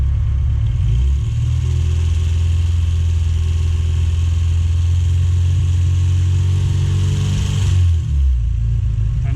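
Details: Rover Mini Cooper Si Sport 5 on Evans waterless coolant, at running temperature after several fan cycles, no system pressure: steady low idle hum with the radiator fan cutting in evenly; normal radiator fan operation.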